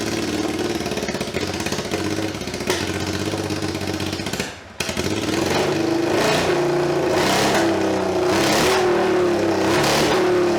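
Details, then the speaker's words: Budget scrambler motorcycle build, mic about one meter away, started with no exhaust baffling at all: a harsh, raspy bark that climbs sharply with each throttle blip. Very loud open pipe; exhaust wadding is to be added next. "so first things first i'm about a meter away we're now going to start it without any exhaust baffling whatsoever"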